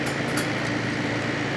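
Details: December 1995 Carrier VisionAire 6050 BTU 6 A window A/C after hose clean-out, rear fan freshly oiled and its clip off: steady even fan whoosh with faint constant hum, no rattle or scraping; fan sounds happier, normal running.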